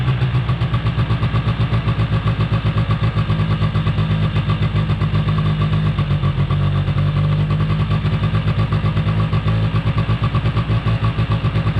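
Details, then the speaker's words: 2005 Polaris Predator 90 quad, two-stroke, long stored, possible exhaust leak: fast, steady buzz that never drops to a slow idle, hanging at high idle; source unknown, brake-clean spray raised nothing. "out the high idle issue. Gotta figure out where it's coming from. I'm not totally sure, to be honest with you."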